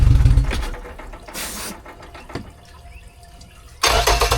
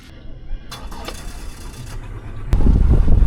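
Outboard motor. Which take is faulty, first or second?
first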